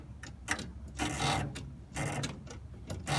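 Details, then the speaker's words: Half-scale NASCAR with a no-start problem, after checking the circuit breaker: quiet, sluggish cranking in uneven bursts about once a second; now cranks but owner suspects insufficient voltage despite a charged battery. "it's working now haha I guess that's good but it still seems as if that there's not enough voltage"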